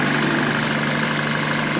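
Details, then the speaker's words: 2014 Chevy Cruze Ecotec after cleaning the seven-pin coil pack plug with intermittent hot feed, which caused crank-no-start: smooth even idle, steady low hum, no misfire or knocking; coil pack itself was fine. "now we know what the issue is it's not the coil pack a lot of people replace the coil pack but it winds up just being that little seven pin plug"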